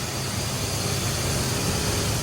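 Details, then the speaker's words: 1997 Ford Explorer 4.0L SOHC V6 started right after an oil change: brief knock at first until oil reaches the pistons, then a steady low even rumble with no knocks or ticks; normal smooth idle. "At first, you'll hear the engine knock a little bit while there's no oil in the pistons, and then as it takes up the oil, it'll start to run smooth, just like it's doing now."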